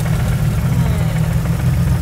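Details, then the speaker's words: 2JZ-GTE turbo six in a Mercedes SL500 swap; deep lumpy pulsing idle. A noid light shows no pulse to injectors 1 and 2 with wiring intact, so the faulty ECU is blamed, and crankcase pressure blew the front seal. Two-cylinder misfire. "no signal to fire so I plug it into one and two nothing no signal to fire that's our problem right there"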